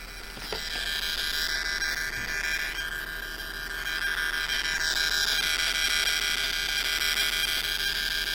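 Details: JBL Flip 5 speaker: harsh high-pitched screech with a steady buzzing pulse far above the music, cause unknown, stopping only when powered down.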